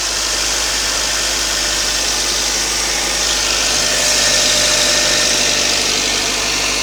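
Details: Toyota 5A-FE cold idle: fast regular tick about 3.5 per second starting around 15 seconds in, seemingly under the valve cover; cold knock, source unconfirmed.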